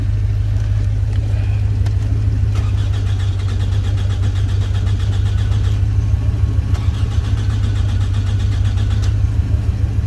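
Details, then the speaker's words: 2005 Toyota Camry with a crank-no-start complaint: the starter cranks at an even, steady rate but it never catches. Scan data shows the immobilizer set and permit start "NG" (no go), so the immobilizer is blocking the start. "still got crank no start I want to see the data mobilizer is set permit start is no go that's what NG means"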